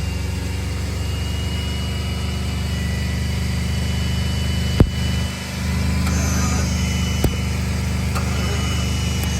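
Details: 1990 Ford F150 with 351 V8, first start in years, lopes at a steady low idle with sharp clicks, running only on sprayed starting fluid; fuel delivery suspect.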